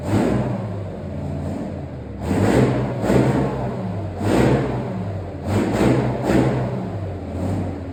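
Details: Replacement engine for a Chieftain tank, first test run out of the vehicle: deep steady idle broken by several rising revs that settle cleanly back down; idles beautifully, healthy and even.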